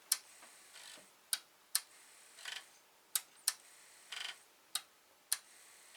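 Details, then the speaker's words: Atari 1050 floppy disk drive, damaged in shipping, string found wrapped on mechanism, lubricated: sharp single clicks and short buzzing step bursts at uneven intervals; head steps forward only, never back. "So I don't know why it's not stepping back and it just steps up like that."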